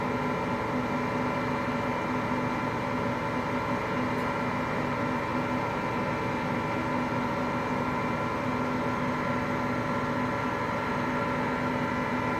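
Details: Hotpoint Aqualtis washing machine, bearings just started to go today: steady unbroken roaring rumble with a constant hum underneath, no change in pace; worn drum bearings.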